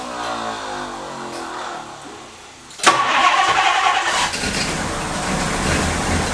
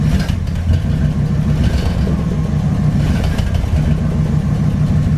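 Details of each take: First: 1962 Ford Thunderbird Landau barn find, sat several years, cranked from a jump box on 50:1 fuel; a sudden loud surge keeps running on for several seconds and fades. Starter solenoid appears to be sticking. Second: 1962 Ford Thunderbird Landau V8, just after replacing mechanical fuel pump: steady even idle with smooth low rumble, no misses or knocks; normal idle.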